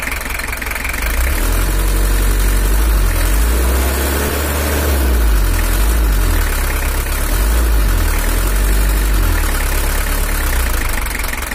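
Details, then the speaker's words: Toyota Hiace LH11 diesel (2L) pickup during engine tuning: idle rises and falls every few seconds with lumpy shaky knock underneath; better than before, but a camshaft or unevenly spraying injector nozzle suspected, not confirmed. "Suaranya udah agak mantap, tapi ada suara kayak bubuknya gitu, atau bisa jadi dari nozzle ada yang kurang abot."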